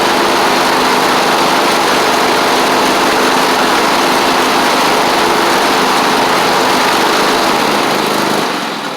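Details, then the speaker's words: Troy-Bilt zero-turn mower with a Kohler twin, after fixing crossed wiring and fitting ignition coils: steady, even engine note with no misses. It runs fine once cranked but chokes easily; owner suspects an overly eager fuel pump. "As you can see, it runs fine once you get it cranked."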